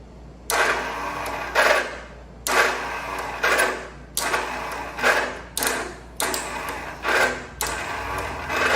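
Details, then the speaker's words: 1974 John Deere 140 H3 garden tractor with replacement engine: repeated short whirring bursts about once a second without the engine turning; no activity at the solenoid, suspected no current through a missing safety circuit. "any activity to the solenoid. So that means that we more than likely are not getting current through one of the safeties."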